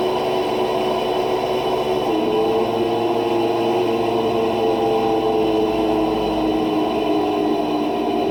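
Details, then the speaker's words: Electrolux LT12 washing machine during spin makes a loud, steady roaring whir with a droning tone. The drive-motor bearing is worn and noisy, not the machine's mechanics, and the motor was replaced with a used one. "esse barulho é o rolamento do motor dela que desgastou e tá barulhento aqui nesse caso aqui precisa trocar o motor"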